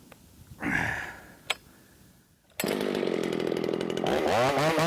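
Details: Ported Shindaiwa 757 chainsaw with flat-cut muffler mod, after a timing advance with no jetting changes: a sharp blip, then a high, steady scream that holds up in big wood, revving higher than before; a normal high-rpm cut.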